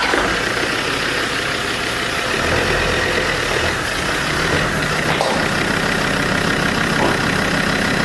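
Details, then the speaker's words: Land Rover Defender TD5 90 diesel after rebuild with new clutch and LOF solid mass flywheel: even diesel clatter, no whirring or rattle from the clutch, the earlier noise from the spinning spigot bush is gone; normal clutch operation. "drive yes it does and notice how the clutch no longer does that that we were hearing because the spigot Bush was spinning up inside"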